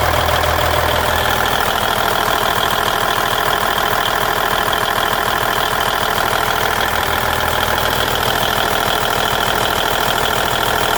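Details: 1999 Volvo VNL 610 with Cummins N14 diesel at idle; loud even clatter about 200 beats a minute with sharp ringing tone; abnormal engine noise, cause unknown.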